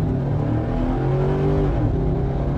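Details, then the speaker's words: Stage 2 cam and springs, custom tune freshly loaded with SCT X4 programmer: deep engine note climbs steadily under hard throttle from a stop, pulling cleanly all the way through 6000 rpm without stumble or flat spot; normal full-rpm acceleration. "it pulls all the way through six thousand from a stop"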